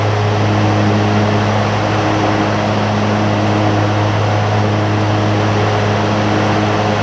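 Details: John Deere ZTrak Z915E, Kohler V-twin, sat 2 years; after carb clean fixed a sticky solenoid causing no fuel. Warm engine gives a steady low drone, no misses or surging; normal running.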